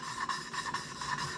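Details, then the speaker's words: 2006 Mazda Tribute 2.3L head rebuild, hand-lapping a valve: even back-and-forth rasping with a smooth, steady tone and no gritty catch; the valve is lapped in and seating well. "And once you feel it just real nice and smooth, can hear the tone of Good. Yeah, that's sounds really nice."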